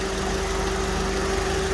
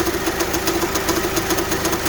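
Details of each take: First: Honda at idle after power steering pump replacement and bleeding with front end jacked up: steady idle with faint even tone, no clunks or whine; pump working normally. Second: Honda idling, steering turned left: steady droning hum and fast light ticking from worn power steering pump bearings; pump not pumping enough fluid, hard steering and clunks when turning, pump to be replaced.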